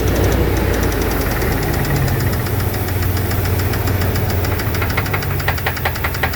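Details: 2002 Dodge Dakota 4.7 L V8: steady idle with light rapid ticking, about two per second; owner suspects lifter or piston slap, unconfirmed.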